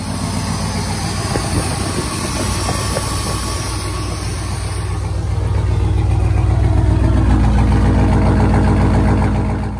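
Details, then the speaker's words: Vortec 350 V8 (88-95 TBI) after swapping the TBI distributor for an HEI distributor: steady even low idle swelling smoothly as revs rise, no misses or hesitation; running normally. "Z to 60 baby come on and you can hear no hesitation at all so she's fine tuned baby come on stop again"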